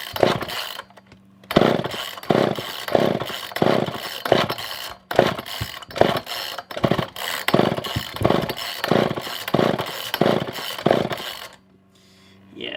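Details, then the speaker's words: Poulan 2000 chainsaw, not started in a long while, choke on, before carb clean and fuel line trim: surges in ragged bursts about twice a second, won't hold revs, dies back; poor fuel pickup, fuel starvation. "i don't think that we are getting any kind of fuel any kind of real good fuel pickup"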